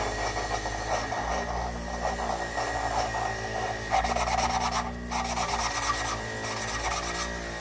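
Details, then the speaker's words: Toyota 3A-C engine rebuild, lapping a valve by hand with grinding compound: steady back-and-forth gritty rasping that evens out and smooths as the valve seat beds in. "here I start this out a lot nicer well a little bit but it's still got some grip to it we're going to keep working around it"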